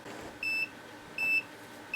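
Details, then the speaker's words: Bubble Magus T11 dosing pump giving a steady string of short high beeps as a pump starts and then stops; its motor is binding up and failing, and all three motors were replaced. "that pump would start to go and then all of a sudden it would stop and then you can hear the beeping noise well that that motor is on its way out it's binding up"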